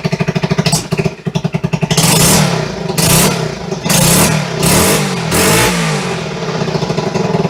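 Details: 1974 Honda XR75 first start after two-year restoration, on high-test ethanol-free fuel, choke just cut: small single putters, then several clean throttle blips settling back without stumbling; normal running.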